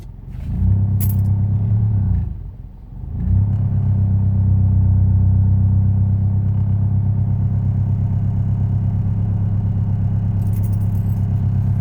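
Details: Proton Inspira engine starting cold: it catches with a low, uneven knocking or misfire-like pulsing about three beats a second, briefly sags, then settles, and is fine once warm; rough cold-start running, cause undetermined.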